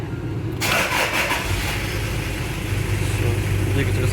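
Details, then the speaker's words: Toyota Surf 1KZ-TE diesel, warm, after an overhaul for piston knock from a scored cylinder: catches and settles into a steady, even idle with no knocking; the knock is gone. "ну так сейчас работает машина после ремонта сейчас она немножко уже тепленькая прогретая"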